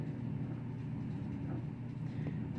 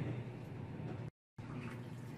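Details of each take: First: Auertech 28lb mini twin tub portable washing machine draining: steady low drain pump motor hum with no water flowing; pump struggling, owner suspects it needs priming. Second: Auertech 28lb mini twin tub portable washing machine after priming the drain: low steady pump hum with water moving continuously, no air gulps; normal drain pump flow.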